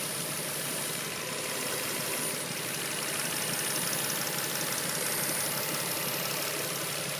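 A steady airy hiss rides over a quiet, even idle, possibly a vacuum leak, though nothing pins it down yet.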